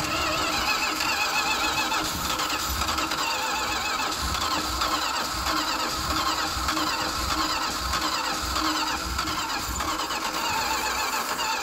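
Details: Long continuous cranking with no catch and no rise in revs; the engine turns over but won't fire.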